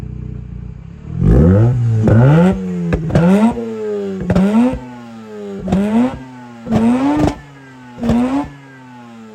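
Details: Mazda RX8 rotary revived after 2.5 years sitting, owner says not overheating: six or seven quick throttle blips sweeping sharply up and back to smooth idle; crisp, even, healthy rotary revving.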